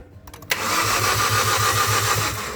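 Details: 2018 Hyundai Accent gasoline engine cranks but won't start: starter turns strongly at an even crank of about five compressions a second, never catches; battery 12.5 V, fuses intact; faulty fuel pump relay.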